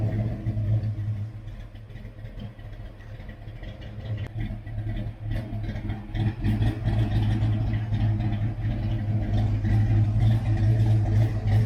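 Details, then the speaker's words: Ford Foxbody V8, not run in a long time, revving: slightly rough with an uneven, puffing tick on each pulse that sharpens under throttle, from exhaust header leaks to be fixed with new bolts and gaskets; no tapping or knocking, starter sounds fine. "the cars not been running in a long time so you know as you can hear a little rough we do have some header leaks we have new bolts & new gaskets for that so we're gonna fix that"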